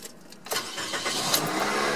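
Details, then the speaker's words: 2003 Pontiac Vibe just after a starter replacement, on a hot night of about 90°F: a short, quick crank, then the engine catches into an even idle with no dragging or grinding. The new starter sounds healthy. "that sounds a whole lot healthier than the old one did even when the old one worked"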